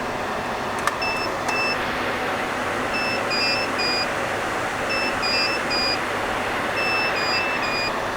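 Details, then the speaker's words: HP EVA6000 disk storage rack: over steady fan roar, clusters of high beeps repeat about every two seconds. The higher pitch identifies disk shelf unit 2 sounding its fault alarm, since beep pitch corresponds to unit number. "they beep and the beeping sound the pitch of the beep is corresponds to the unit number so the lowest unit number here has the lowest sound of alone"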